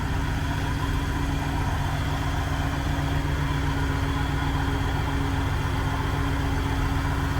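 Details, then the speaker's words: International 1210 truck with newly fitted Holley 2300 Super Sniper EFI: steady, even V8 idle with smooth low rumble, no knocks or hunting; idle set close to where it should be. "sounds like you got it set pretty close to where it needs to be"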